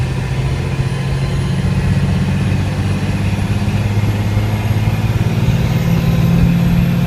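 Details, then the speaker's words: FZJ80 Land Cruiser with Cummins 6BT diesel swap and NV4500 manual, driving around the block from inside the cab: deep steady diesel drone, even pulses, little rattle, more refined than a 4BT, normal running. "not a whole lot of rattling. The 6BT is really nice because it's quite a bit more refined than the 4BT."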